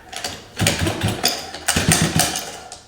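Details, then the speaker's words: Rockstar 48" Proboat catamaran, water-cooled Dynamite 26cc gas engine, first start after 2 years on a shelf, needles reset to stock (high 1.5 turns, low 1.25), started on the ground: several rope-pull whirs with no firing because the ignition was off. "guess it helps when I turn it on."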